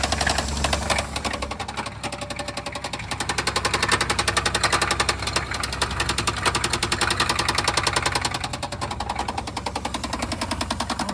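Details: 1991 Chevy S10 long parked on a farm, running its longest yet: a fast, steady knock about three and a half beats a second. Oil is reaching some lifters but one stays dry; exact cause still unknown.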